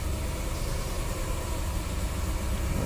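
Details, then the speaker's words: Cadillac DeVille 4.9L with no power, rough idle and stalling: deep, muffled, labored drone under a little throttle that never frees up, MAP reading rising; exhaust restricted, suspected plugged catalytic converter. "i think our exhaust is restricted see that look at our map with just a little bit of throttle you hear how it's sounding too"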